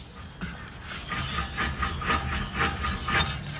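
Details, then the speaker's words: Honda Accord Euro rear wheel bearing, removed and turned by hand: rough, gritty grinding rasp pulsing about twice a second, worn compared with a new bearing. "it's a bit grindy compared to obviously the new one"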